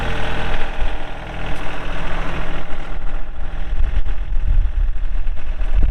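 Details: 2003 John Deere 4410 tractor loader backhoe, 34HP pre-emissions diesel, hydro, 4WD, 549 hours: deep, steady diesel chug with an even beat and no knocks or misses; normal healthy idle.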